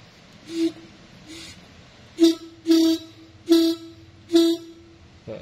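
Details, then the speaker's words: Yamaha RX-King two-stroke reed valve (membrane) after its petals were opened slightly to cure a choked, heavy sound. Short hoarse honks near 300 Hz, about once a second as air is drawn through; the petals flutter freely and lighter. "Nah, ini agak mending nih, dia agak enteng ya."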